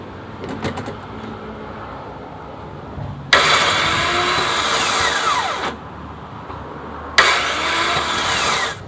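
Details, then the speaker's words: Toyota Altis with 3ZZ 1.6 L engine that won't start: two bursts of high free whirring winding down with no cranking, the starter spins but doesn't turn the engine; starter gear suspected. "ไม่ติดนะครับมีอาการเหมือนไดสตาร์ทจะรูดถ้าสตาร์ทมีเสียงแต่เครื่องยนต์ไม่หมุน"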